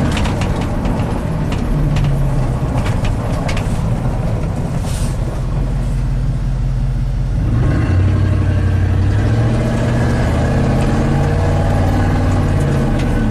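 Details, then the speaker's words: 1987 GMC 1500 plow truck after ignition repair for warm-under-load misfire/stall: deep steady rumble swelling strongly as load builds, no stumble or misfire, EST signal online; healthy. "see that EST signal comes online once the engine revs up oh yeah what does Eric go see that's Chevy thunder right there"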